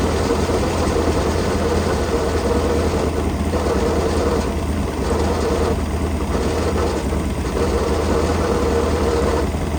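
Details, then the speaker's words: Sleekcraft jet boat with 454 engine first run after sitting for years: steady engine with rough uneven churning from the jet drive; owner suspects the drive's grease fitting needs grease, not confirmed. "grease fitting on the drive, and I kind of wonder if that's what's making the noise. So let me I'm gonna turn the water off. I'm gonna put some grease in that and see if it gets any better, because it sounds like crap."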